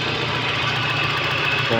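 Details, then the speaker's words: 1993 Toyota Corolla big body after replacing a knocking transmission with a newly installed one: engine ticks over at an even rhythm with a soft hum, no drivetrain knock; normal idle, gearbox now quiet. "Wala na ako kahit mahina yan ha. Ha? Kahit mahina na tunog. Oo. Oh, tahimik na."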